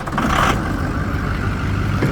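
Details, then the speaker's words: Ford F-350 6.0 Power Stroke diesel, 130,000 miles, one previous owner: cold start after sitting a few days; fires quickly into a steady idle clatter with no stumbling. Owner reports it always starts easily, with no overheating or smoke. "it starts right up every single time I turn that key never had the issue with starting up never had an issue with overheating never had an issue with smoking"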